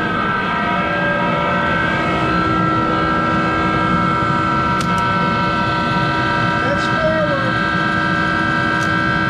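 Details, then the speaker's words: Monarch 10EE lathe's 3-phase motor-generator DC spindle drive running: loud, steady multi-tone whine at constant pitch with a rough undertone, from worn motor-generator bearings needing replacement. "start the machine up and it's louder in hell because it's got those bearings that need to be replaced in that motor generator so bear with the noise"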